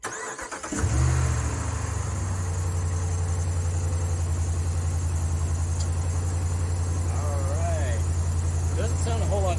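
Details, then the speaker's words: Ram 1500 5.7 HEMI V8 just after K&N cold air intake (63-1561) install: brief crank catches into a deep, steady, even idle with no ticking or misfire; normal, little different from stock at idle. "Doesn't sound a whole lot different on startup, but you can sure hear it sucking in the air when you give it some gas."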